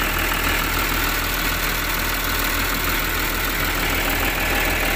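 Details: Volvo EW145B wheeled excavator diesel, after injector work for hard starting and low power: steady even idle with a quick regular beat, no knock or miss, smoke now normal; normal idle.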